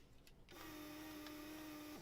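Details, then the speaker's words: Solder sucker desoldering capacitors on a Klipsch RT12 subwoofer amp board; steady even hum with no choking, pump not clogged, though the through-hole on a big copper plane is slow to clear. "Doesn't sound clogged, but it sure don't want to clear that hole."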